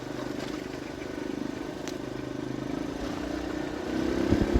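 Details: Kawasaki KLX 150 road test in fifth gear after a new RER 150 carburetor and the CDI socket loose-contact fix: steady single-cylinder putter on the move, even firing with no stumbles or cutouts over road noise, where it used to stutter before; normal running.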